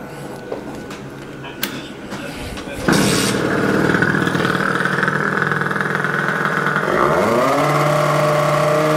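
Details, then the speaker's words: Rieju MRT two-stroke, engine already warmed up: quiet, then fires and runs rough, revs climbing only slowly and weakly as if held back, smoking from oil-rich mix; ignition timing or carburettor setting suspected; engine bogging, won't rev. "silnik naprawdę nie chce się wkręcić na obroty jakby chciał albo go coś trzymało"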